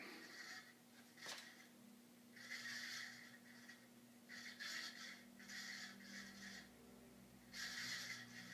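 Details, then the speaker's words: 52-inch second-generation Fasco Charleston ceiling fan with a stack motor, on medium: a steady low hum with irregular hissy, scraping bursts every few seconds. The cause is unknown; the owner suspects the bearings or the capacitor. "i don't know what's causing that noise but unfortunately you're gonna hear it as the momentum increases and speaking of which let's bump it up to medium listen to that"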